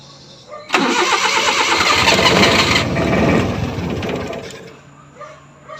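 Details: F6A engine: starter chugs steadily about three times a second for several seconds, then fades without catching; hard starting.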